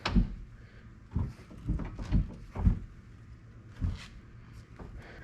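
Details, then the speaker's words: Passenger-side door on a 2000 Chevrolet K2500 flatbed truck after replacing every hinge pin and bushing: door swings with firm thumps at each check stop and shuts cleanly, no creak, pop or grind; normal hinge operation. "Stops there. stops there, comes back and stops there, and then shuts like a dream."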